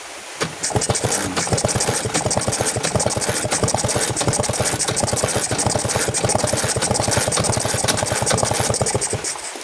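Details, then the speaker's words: Vespa two-stroke scooter with flooded carburetor, kicked over with the spark plug removed to clear excess fuel from crankcase and combustion chamber: quick, even chuffing bursts, roughly six a second. "Oke tujuannya adalah biar membersihkan sisa BBM di ruang krengkes ataupun ruang bakar yang over ya"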